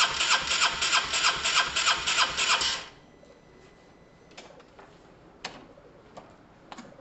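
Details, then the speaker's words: Honda SH125 scooter after fuel and wiring work and a new relay, spark untested, timing possibly set wrong: starter churns about three seconds with even, quick compression beats and an odd kick, but never catches. Crank no-start, cause unconfirmed. "that was interesting guys there was some sort of kick there was some sort of kick something um i'm gonna try again a couple of times in case it's just all the fuels just getting around"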